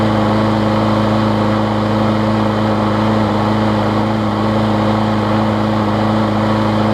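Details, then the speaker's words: John Deere JS63C mower after carburetor cleaning with the needle reseated; it had been running rich and fouled the plug: a steady, even drone at running speed with no stumbling or surging. It runs properly. "because it was running rich and ended up fouling up the spark plug that was in it and it seems to run run better now I just got it cleaned up so I'm gonna give this thing a start and we'll see how she does"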